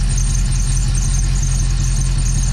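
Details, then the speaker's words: Dodge Dakota R/T 5.9L Magnum V8 after new plugs and exhaust sealing: loud, uneven idle with a pulsing belt chirp on top; misfire during injector-unplug test, cylinder 5 injector suspected. "Also, the belt is squealing, but I don't care because once we put the Pro Charger on, we're not gonna have that same belt on."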